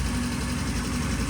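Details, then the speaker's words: Vintage British motorcycle, first start after repair on a remote gas tank, ignition just set with a strobe light, good oil flow: even, steady low-pitched idle with no misses, knocks, rattles or smoke; healthy idle. "sounds like it's bridling just nicely we just set the ignition using the strobe light we've got very good oil flow"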